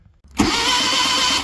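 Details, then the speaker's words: Project vehicle: about a second of steady, even churning as the starter spins the engine over; normal engine cranking. "There we go. It is turning. So, time to fill out everything else."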